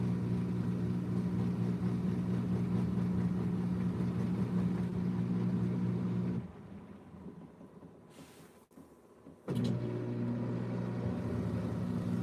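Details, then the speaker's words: Washing machine spinning a smaller load: spin motor hums steadily, drops out for about three seconds, then picks up at a lower pitch; the drum strains and stops quickly because the load is full of suds. "It's stopping quickly because it's full of suds."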